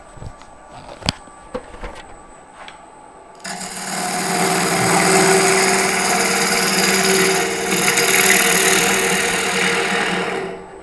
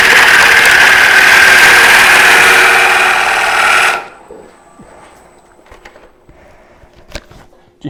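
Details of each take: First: Steady, even hiss of a bowl gouge cutting very hard wood on a lathe at about 1000 rpm after the blank was trued symmetrical, no thump or wobble; normal running. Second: Wood bowl turning on a lathe: hissing gouge cut ends in brief rattling chatter because the tool was overextended past the tool rest, lacking support and vibrating.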